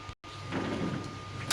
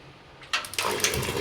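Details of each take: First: Gas geyser backfiring: water rushes, then a sudden whoosh and a deep thump as the burner lights late, with flame shooting out. Suggested possible cause is dust or carbon buildup on the burner restricting gas flow; repair to follow. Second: Gas geyser that made loud banging backfires, after cleaning and refitting the gasket: soft click, burner lights with a clean whoosh and settles into a smooth even roar, no puffing, bangs or flame escaping; working normally.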